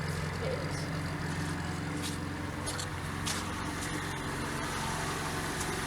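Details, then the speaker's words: 1987 Fiat Panda 4x4 Sisley, ex-farm car, at idle: smooth, even, very quiet idle with a steady low hum and no knocks, ticks or rattles; engine sounds healthy. "it genuinely runs listen to how quiet it is it's just barely on"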